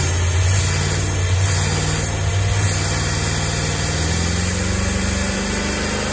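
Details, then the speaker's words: 1998 Jeep Grand Cherokee Limited 5.9 V8, 119,000 miles, abandoned five years: uneven, lumpy idle with irregular beats, still misfiring and running rough but the best it has run on its own. "wow this is the nicest it's run on its own i know it's still running bad but this this is uh this is pretty good"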